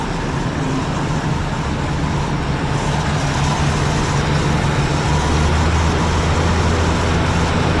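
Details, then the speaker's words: Ford Country Squire just after brake master cylinder, booster and line replacement, fired up still chugging and puffing black smoke: engine holds a steady raised idle with a slightly uneven chug, stuck on fast idle; owner suspects the choke never came off. "I think the high idle kicked in, but the choke never came off."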